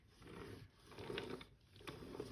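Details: Hand-turned NP208 transfer case gears, shift rail pushed up and turned to take up play, click and tick lightly in short bursts; the ring-gear-on-annulus-stop grinding is gone, normal neutral spin.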